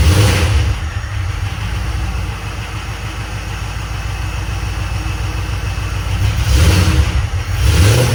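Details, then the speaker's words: 2007 Crown Victoria P71 V8 under a 1966 F100 body, abused: deep idle with a steady knocking beat persisting when revved; owner unsure if internal or belt-driven accessory, plans to remove the worn belt to check. "I'm going to probably take that belt off it's already junk anyway and uh see if is knocking is internal on the motor or external bolted to the motor"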